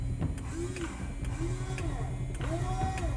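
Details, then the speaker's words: Electric fuel pump switched on in a 2007 Liberty XL-2 light aircraft, parked neglected for years, battery at 12.3 volts. Steady low hum with a soft rising-and-falling whine and light ticks, even and unbroken; normal fuel pump priming. "Oh, all kinds. Sounds healthy. All kinds of fuel pumpage."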